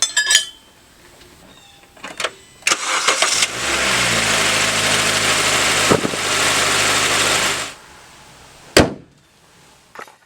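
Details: 2012-2015 9th-gen Honda Civic after serpentine belt replacement: brief crank, engine catches and holds a smooth idle about four seconds with no squeal or chirp; healthy start.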